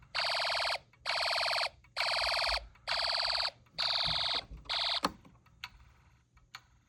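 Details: Snap Circuits hobby fire alarm system test, just after a loose wire was fixed: loud high buzzing tone pulsing about once a second, six half-second bursts then stops; alarm sounding normally.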